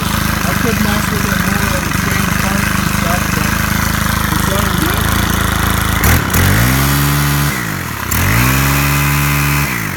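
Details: Stihl KM130R four-stroke trimmer running warm after broken valve repair and high/low carb adjustment, slight valve seat damage: steady running, revs up cleanly and drops back twice, no stumble or misfire.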